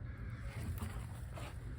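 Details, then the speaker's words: RV hot water heater being filled with fresh water after replacing the pressure relief valve and drain plug, as a leak check; steady low rush of water with no gurgles; the tank is filling normally. "Yes, this is exactly what I was hoping for. I can hear, and I imagine you can hear, the tank filling. It's exactly what I wanted to hear."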